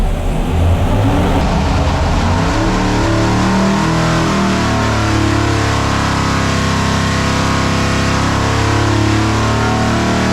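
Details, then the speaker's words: 572 cubic inch Hemi on 112 racing fuel, timing backed from 34° to 28° after misfiring; it winds up hard and holds a strong, even roar with no popping: a much better full-throttle pull, though a possible water leak is spotted afterward. "timing there you go we have to back it up there you go timing told you went a lot better there"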